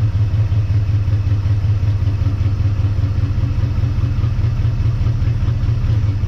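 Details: 1958 Dodge Coronet Lancer V8, barn find that sat 30 years, restarted with idle set lower and choke wired open: loud, loping idle with uneven thumps, like dropping a cylinder or two; misfire, owner suspects points, with worn distributor bushings also possible.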